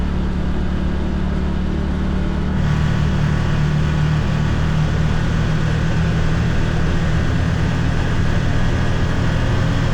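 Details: 2022 Can-Am Defender HD9 DPS cab with factory heater, after foam weather stripping fixed the loose, vibrating heater core; steady engine drone climbing through 30-45 mph, rattle gone, faint tingy sound heard.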